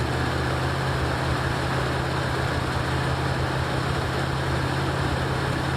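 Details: 1984 Ford Mustang GT350 just after a starter replacement, first start with choke on: smooth, steady low idle with no knocks, misses or ticking once it settles; normal idle, though a separate leak from the head is noted.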